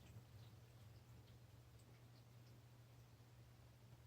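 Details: American Standard Freedom 90 single-stage natural gas furnace: quiet steady blower hum with faint scattered water-trickling ticks on top; abnormal furnace noise, cause not determined.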